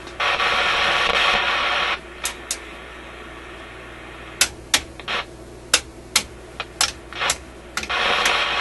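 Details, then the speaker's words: Canadian General Electric KM-5 vacuum tube radio with paper capacitors replaced: loud hiss and crackle cutting in and out with sharp pops, seemingly in audio output circuits, possibly heat-related contact; cause not identified; intermittent crackling noise. "kind of sounds like a heat related thing or something he's making contact Heating and then breaking off it's quite a distinct on and off to it"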